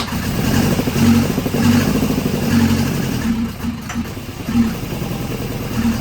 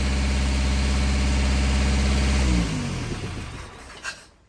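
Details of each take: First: Volvo 242 petrol engine converted to carburettors, freshly started with distributor turned past normal: revs unevenly with a rough pulse and a brief sharp clunk; spark knock from over-advanced ignition timing. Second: Volvo 242 four-cylinder petrol engine on DCOE carburetors after timing adjustment, started on key: smooth, even idle, then switched off and winds down; runs fine, idle maybe a little high, linkage needs sorting.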